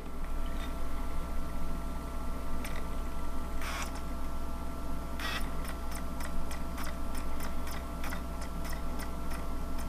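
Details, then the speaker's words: Panasonic 3DO FZ-10 disc drive after repairing a seized sled motor that caused grinding, microphone by the console, loading a game: quiet hum with crisp, evenly spaced laser seek ticks, no grinding or stuttering; normal loading. "we're gonna go ahead and turn this bad boy on go to the screen and you'll hear it does not put this microphone by the system that there is no grinding"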